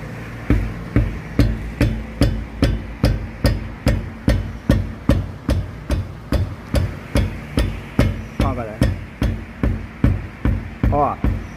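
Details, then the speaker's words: Strikes on a car tyre, about two a second, each give a dull knock from a loose brake caliper. "na pinça barulho parou ó voltou ó parou de novo ó ó lá ó beleza"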